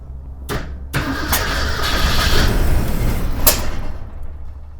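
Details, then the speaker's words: 1961 Ford Econoline van sat over 30 years, started via jumper wire with a little gas poured in the carburetor: starter churns steadily, then a few ragged bursts as it fires briefly before fading, no steady run yet. "Well, she fired off. Let's give it another drink."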